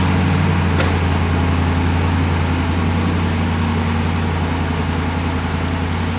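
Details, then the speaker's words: 2017 Ram 1500 Rebel at idle after fitting new BD Diesel exhaust manifolds: a steady low idle with a light, fairly even tick of about 160 per minute from the leaking exhaust manifold; it was then fixed. "Okay, so my camera died right as I was finishing that. But, uh, that last startup in that last clip, it was the exhaust was leaking. It was ticking again."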